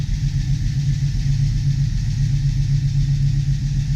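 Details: 1972 Chevy Nova SS V8 with FiTech fuel injection, first start after an oil change and new plugs, about 44°F and cold, oil slightly short of full: deep, lumpy burble at a steady idle with no ticking or knocking; oil pressure up, normal idle.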